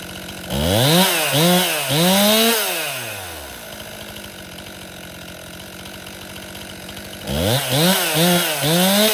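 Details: Stihl MS261 M-Tronic chainsaw, hot, restarted after five-minute rest: short blips each climbing sluggishly instead of snapping up, a bog on acceleration; running lean, owner suspects it needs a carburetor service.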